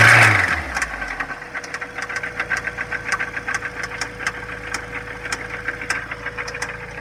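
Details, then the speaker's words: 2004 Mazda Miata, 125k miles, at idle with no check engine light: sharp metallic ticks about four a second, slightly uneven and intermittent; owner suspects valves, oil ran very low after seven months parked. "best part of this is that clicking sound it's very weird"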